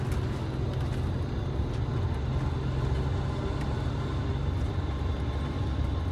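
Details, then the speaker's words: MCI 5C bus with Detroit Diesel 6V71 after a power upgrade, at full throttle on the road: deep, steady drone pulling hard with no misses or knocks; some exhaust smoke, engine stayed cool; healthy. "okay yeah mash it look at your exhaust it's not bad sounds good"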